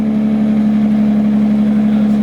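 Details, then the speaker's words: Newly acquired car (350Z build): smooth, even idle drone with a steady low tone and no knocks, misses or rattles; normal idle. "it does it sounds pretty [ __ ] good i can't lie"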